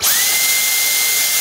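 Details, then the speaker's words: Dyson V10 vacuum running on a homemade 3000 mAh replacement battery. A steady high whine spins up fast, holds an even pitch, then winds down cleanly; the motor runs normally, just as on the original battery. "soon as I open the hole, the vacuum cleaner works fine, just like on the original battery, everything is fine"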